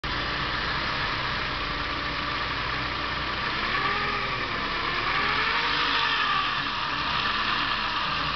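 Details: Saab 900 2.0T at idle, oil level normal, accelerates and starts fine: constant hiss with a faint whistle wandering in pitch; fixed by replacing worn hoses, so a hose leak noise.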